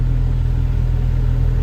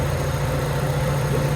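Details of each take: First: Honda Civic EK automatic with check engine light, idle warming up: high idle reaching about 1,400 rpm, bouncing and creeping up rather than settling; idle air control valve reportedly already cleaned. High idle from dirty idle air control valve. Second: Honda Civic EK that had high idle and a check-engine light, after ACB cleaning and adjustment: steady, even idle with a constant low hum, no hunting or surging, idle speed now correct and calmer.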